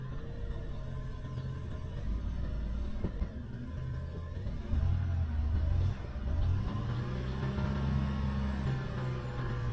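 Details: Car started just after a service, with the timing belt still due to be done later. A steady, even low rumble with a slight swell in revs and no stumble; normal running without misfire.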